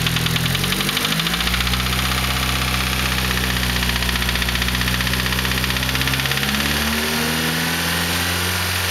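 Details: Cold Nissan SR20DET turbo petrol engine idling with a fast, steady knock over the exhaust note. The knock occurs only when cold and goes away above about 3500 rpm; it persists after the lifters and timing chain tensioner were replaced.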